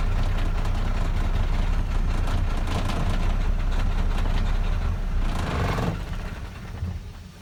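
Heavy, uneven diesel chug at about four beats a second that loses pace and dies away; it runs rough, cause unclear.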